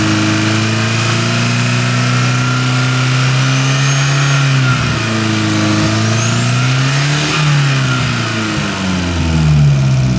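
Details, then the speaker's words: Porsche 924 Turbo after new spark plug wires. Steady four-cylinder idle, then smooth rises and falls as it is blipped, with a faint turbo whistle climbing as it spools up; runs cleanly. "And she spools up pretty good."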